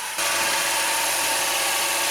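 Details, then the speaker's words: 2019 Honda HR-V 1.8L AWD, cold start after sitting overnight, idling with AC on: loud steady metallic clatter and hiss when the compressor clutch engages, gone when AC is switched off; clutch seems to cycle normally; failed AC compressor. "The compressor is on and it's engaged, so it sounds horrible."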